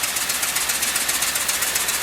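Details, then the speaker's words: LS-swapped V8, freshly installed, coolant not yet filled: uneven, loping idle with a regular stumble every few firings, one dead cylinder; misfire traced to low compression in that cylinder, not a broken plug or loose plug wire. "Now, in full disclosure, we already fired it up. But it's missing for some reason."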